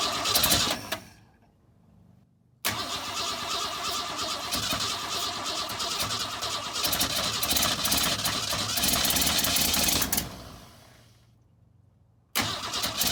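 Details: 1962 Ford Falcon inline engine, not run in 25 years, newly fitted carburetor, more gas added: long bursts of even cranking, about three turns a second, pauses between tries, no firing; cranks, won't start. Timing later found way off.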